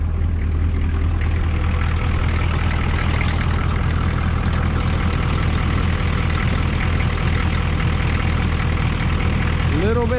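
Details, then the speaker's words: 1985 GMC 3500 with 6.2 Detroit Diesel after crank-no-start fix, restarted following glow plug cycle: steady low diesel clatter at idle, even pulses with only a faint occasional stumble; runs fine, normal idle. "all right try to start it up started up there that wasn't too bad"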